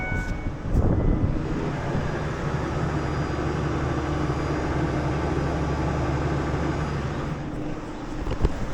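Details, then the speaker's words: 2001 Ford Ranger after fuel pump replacement, jump-started: engine fires and settles into a smooth, even idle with a steady low drone and no knocks or misses; runs healthy. "Oh, fuck yeah, bud. She's fucking running."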